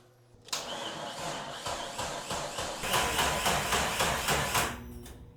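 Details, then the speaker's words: Jeep Cherokee XJ with freshly replaced 4.0 engine, first start: starter cranks slowly and labored, about four pulses a second, never catching; really dead battery, earlier a bad battery connection suspected. "So, it has a really dead battery."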